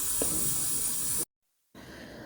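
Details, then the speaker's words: Manual stovetop pressure cooker of githeri with the gas off; a steady high hiss of steam through the valve, a brief silence, then a softer hiss as the remaining pressure keeps cooking and vents: normal residual pressure release. "because as you can hear, it's still hissing, so it's still cooking. There's still some pressure inside, so I'll just let it cook with the rest of the pressure, and then once it's completely quiet, then I can open up my lid."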